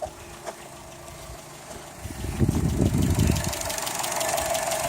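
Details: Engine idling at 15 °C, level checked and correct: uneven knock about four times a second, heaviest for a second midway.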